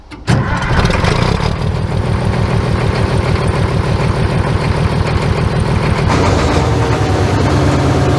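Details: Caterpillar 14 motor grader diesel, first start after sitting about four years, with preheat: cranks, catches quickly and clatters into an even, steady idle with a regular low beat; runs cleanly.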